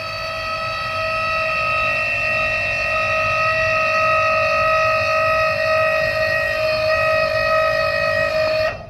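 Even, steady electric whine for about nine seconds that stops cleanly at end of travel; the deck lift actuator works normally.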